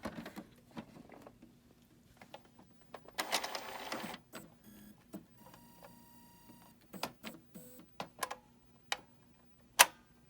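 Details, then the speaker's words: Epson printer with 0xEA error and screaming sound (unsolved; power surge suspected to have burned main board): startup whirs, short motor runs and crisp clicks as carriage moves left and right and lock latches; lock working normally. "And now you can hear the lock is working. And the printer can go all the way to the left. And now to the right."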